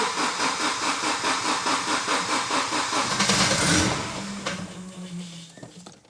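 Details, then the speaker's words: Volvo 700/200-series car that has sat unused a long time: starter churns about two turns a second for three seconds, then catches and settles to low idle; owner suspects stale fuel. "It has been sat for a long time. I think probably the fuel is stale in it."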